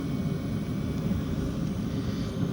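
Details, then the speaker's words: Land Rover Discovery 3 (LR3) fuel-burning heater started by newly fitted remote controller after clearing fault codes: steady, even low roar with no surging, popping or misfire; normal running. "but you can hear that's kicked in and it's working like it should, so I'm happy with that."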